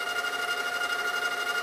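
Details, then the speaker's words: GoVideo GV-6010/6100/6150 dual-deck VCR, deck 2 trying to fast forward: a steady high whir with a fast fluttering pulse instead of a clean spin-up. Deck 2 intermittently fails to fast forward; not slipping, cause unknown. "deck 2 has the issue okay to fast forward and it can fast forward everyone well sometimes it fails to pass forward"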